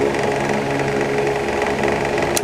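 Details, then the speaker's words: Asahi electric fan previously repaired elsewhere, on steady (not oscillating): steady hum with fast, even ticking rattle that disappears when oscillating; overlong rear screw tapping the motor shaft end causes the knock. "Ano ang problema nito mga karal bakit ganito ang electric pa na ito pag naka-steady maingay pagka nagswing Nawawala ang ingay"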